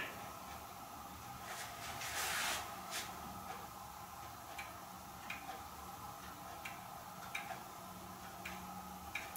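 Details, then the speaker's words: Hermle weight-driven clock movement on a test stand: after handling noise, soft, even ticks about every 0.7 seconds; the movement runs properly. "i hear it ticking"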